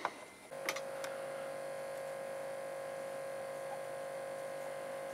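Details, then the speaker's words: Realistic LAB-2200 linear-tracking turntable (Radio Shack, 1987) small 12V DC motor, date code July 1986, being serviced: after a click it spins up to a quiet, steady even hum with no scraping or rattle; sounds healthy, shaft oiled anyway. "all right so this motor sounded healthy but I'm going to put a drop on the shaft here anyways just to keep it content"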